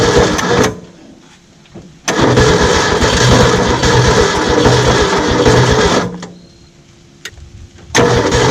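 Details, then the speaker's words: 1967 Ford F100 V8, 76k original miles, parked 40 years, first start on primed carburetor and auxiliary fuel pump: catches, runs rough and very loud with heavy clatter, then dies; bottom-end knock suspected, cause unclear. "oh that sounds terrible whatever that is there might be a reason he was going to pull the motor"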